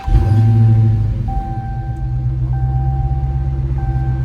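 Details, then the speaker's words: Hellcat Redeye supercharged V8 after fix: fuel rail back on with sensor plugged in; cranks and catches cleanly into a deep steady idle, no stumble or stall, no engine light; normal start and idle. "Starts up. No more engine light on. Seems like it's running better."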